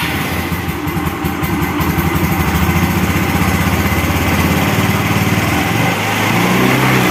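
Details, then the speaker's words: Carbureted Yamaha Xeon after replacing worn CVT pulley bearings, CVT cover refitted: even single-cylinder buzz, rising slightly near the end, no grinding or whirring; CVT cover bearing found still good; normal running. "Apakah masih berisik? Yah, jelas tidak berisik seperti kemarin."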